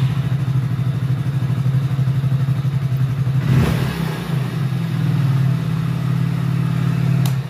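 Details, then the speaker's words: Hero Splendor BS6 motorcycle, idle raised by service center for winter: after riding and restarting, fast steady hum that dips briefly after a throttle blip, then settles back at the same raised rpm; idle too high, needs rpm setting adjustment. "तो अब जैसी चल गया ये bike को रोकते हैं और फिर स्टार्ट करते हैं तो आरबीएम काफी हाई रहता है इसी प्रॉब्लम के लिए मेरे पास में आई है"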